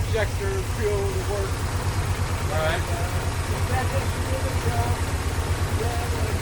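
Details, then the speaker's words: 1985 Porsche 928S V8 after warranty fuel-pump replacement, ignition wiring fixed, injector cleaner added: lumpy low thump wavering, never settling; rough idle, owners suspect clogged injector, pump or fuel filter, unconfirmed. "all right so we got the 928 it's not running that good we need to drive it for a while it's probably the injector pump fuel filter put some injector cleaner and should run well"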